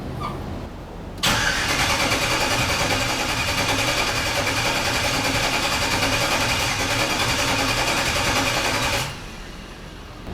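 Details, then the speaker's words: LS-swapped Squarebody truck, first start attempt after engine wiring: steady starter cranking about three and a half turns a second for eight seconds, no catch; cranks but won't fire, owner thinks it needs tuning first. "well she cranks over I don't think it's gonna fire over until we tune out the um"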